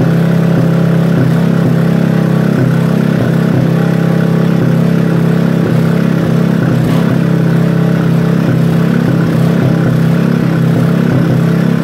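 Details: Robin small single-cylinder engine during restoration, first start: steady even beat of about 220 pulses a minute, no misses or rattles; runs healthy.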